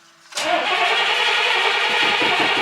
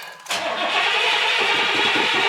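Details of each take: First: Carbureted classic vehicle, accelerator pump being used: the starter spins steadily over four seconds without catching. A long crank and hard start, cause unconfirmed. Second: That sounds good. Let's let her get a little bit more gas.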